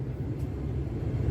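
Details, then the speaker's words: Jeep Cherokee 4.0 Limited heater blower that intermittently failed, often on first start, now running after the connector plug was found to be the problem: steady, even low hum, no surging, rattle or cut-outs; blower motor normal. "there's a blower now so there's nothing wrong with the blower [Music] it's only the plug see right on [Music]"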